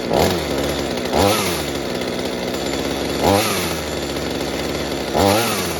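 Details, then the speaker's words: Mini two-stroke chainsaw after fuel leak repair and carburetor adjustment, with the rich high side turned down. It idles evenly with throttle blips about every two seconds, revving cleanly and dropping back smoothly: normal running. "Okay, that sounds quite good now, except of course that the change makes very..."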